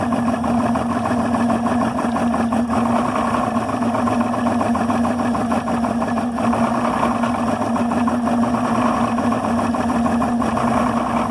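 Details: Yamaha 300 HPDI outboard rough idle at 400-500 rpm, low steady pitch with uneven, slightly lumpy firing beat; owner unsure of cause.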